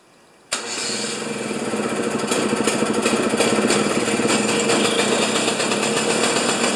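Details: Husqvarna snow thrower during governor repair, covers off, primed: fires and climbs to a fast buzzy run that never settles; throttle not activated by governor, linkage jammed tight, no throttle control.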